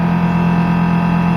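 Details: Brastemp BRE57AB Inverse Frost Free duplex refrigerator, 443 L, with interior partly disassembled: loud, steady whirring drone with a strong low hum. Fan obstructed by ice buildup, close to jamming and likely to burn out.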